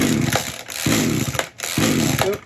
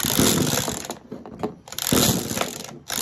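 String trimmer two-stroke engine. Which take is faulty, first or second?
second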